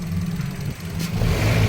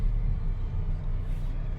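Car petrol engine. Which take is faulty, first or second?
first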